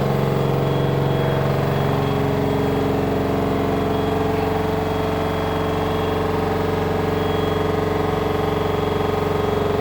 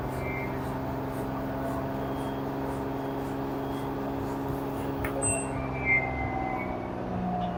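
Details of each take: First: LG front-loader 10 kg wash/7 kg dry smart inverter direct-drive washer spinning with a load: a loud, steady, jet-like roar with fixed droning tones. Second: LG washer model F4V5RGP2T, under one year old, empty drum in quick test mode spinning up to about 1370–1400 rpm: smooth, even hum with no rumble, grinding or knocking; bearing, shaft and drum healthy.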